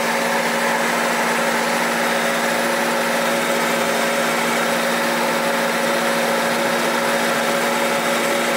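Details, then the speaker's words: 2009 Holden Barina 1.6L on a hoist, front wheel spinning in gear: steady drone with a rough grumbling, a noisy wheel bearing; left-side noise under load and coasting, CV joint also wobbling out of balance. "okay a little bit noisy in there oh that wheel bearing is pretty noisy"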